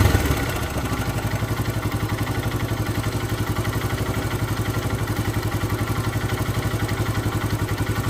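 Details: Hero Karizma R motorcycle at idle: rhythmic clatter pulsing about four times a second over the exhaust beat; abnormal engine noise of unknown cause.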